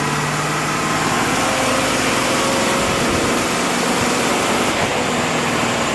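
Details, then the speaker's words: 300,000-mile 4L80E 4x4 automatic after full overhaul (valve body bored, light shift kit, new solenoids, seals, clutches) on dyno, in overdrive with converter lockup: steady even hum with smooth whir, no clunks or flare; healthy. "gears. Third, fourth, lock up."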